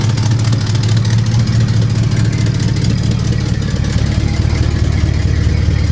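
Loud, deep, uneven puffing chuff at about two beats per second dominates the engine note, typical of a large exhaust leak.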